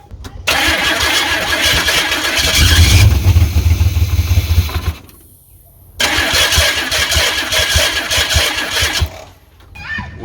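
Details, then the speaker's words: Ford Ranger truck with a suspected dead fuel pump, fuel poured in by hand: engine catches and roars in surges, dies away, then picks up again; runs only on hand-fed fuel, fuel delivery suspect. "going to see if I can keep it running myself look at that yeah we don't need no fuel pump hell yeah"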